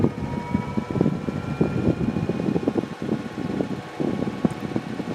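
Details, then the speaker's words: Endless Breeze fan after balancing with a counterweight opposite the heaviest spot: low-speed hum with only light irregular ticking, no wobble or throb; slight vibration left at setting two, smooth at three; running normally. "at one I have no no oscillation two I have a slight oscillation three the osc"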